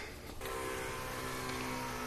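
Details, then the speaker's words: 1985 Toyota pickup mini truck, key on, engine not cranked, battery on a charger in start mode: a steady electric hum switches on about half a second in, the fuel pump priming normally, with the air compressors wrongly running too. "I hear a fuel pump I hear our compressors it's alive so key is on but I'm not even trying to start the truck and the air compressors are on that's bad"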